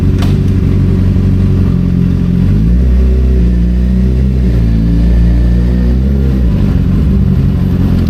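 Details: 2007 Suzuki GSX-R750 with Power Commander 5 and M4 slip-on exhaust, ridden on road: crisp revving that climbs and drops cleanly through gear changes, pulling smoothly and evenly; healthy engine.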